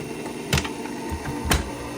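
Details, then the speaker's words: 1980s Oster Regency Kitchen Center stand mixer whose bowl keeps sticking and stopping on the turntable base: motor hum with two sharp knocks about a second apart; dry turntable base suspected, serviced by lubricating. "the bowl would not spin very well. So the bowl spins with the blender blades, with the mixer blades, but what it would happen is I would put something in there and I would be mixing something, but then it would consistently get stuck and it would stop"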